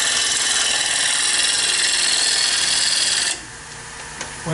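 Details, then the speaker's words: Lathe turning a bowl blank made from a board. A 1/2-inch bowl gouge smooths the out-of-round blank. Harsh scraping cut beats about four times a second, then stops, interrupted where the gouge meets a flat spot. "I'm gonna start by just smoothing this off because it's way out around"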